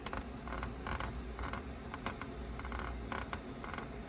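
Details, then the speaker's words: Redcat RDS RC drift car steering swung left and right by hand with no downward pressure: dry, rhythmic creak from tight, unlubricated ball ends and cups on the unoiled side; the oiled side is much quieter. "right you you can hear how much that is gripping into that I'm not pressing down on it either this is literally me just going left to right left to right"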